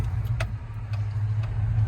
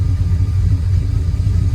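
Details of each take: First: 1999 Dodge Ram 1500 with the 5.2 (318) V8 and 5-speed, after a fix for a long-running misfire and rough idle: low, smooth idle with a steady rumble, no surge, knocks or misses; runs perfect. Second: 1999 Dodge Ram 1500 5.2 (318) V8, 5-speed, with a long-undiagnosed misfire, after a repair prompted by the first check engine light: idle even rougher, low lumpy uneven throb; O2 sensor possibly still relearning.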